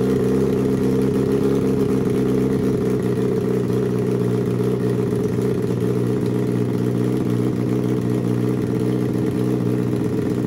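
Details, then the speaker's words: Turbo Suzuki Hayabusa engine from homemade car, Power Commander/AutoTune, fuel leaned for smoother idle but left slightly rich at 2000 feet altitude; steady even idle with smooth low drone, no misses or stumbles, running cleanly. "now you'll see how Mike leans the fuel for a more smooth idle he leaves it a little bit rich but we're at 2000 feet and the motor will be shipped to sea level"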